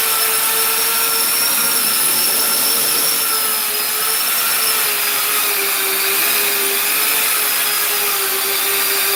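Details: Custom 3D-printed 70mm EDF quadcopter, brand-new brushless motors: steady high whine with wavering pitch and a rough edge; left rear motor suspected bad, possibly 4S motors supplied by mistake, debris found inside it.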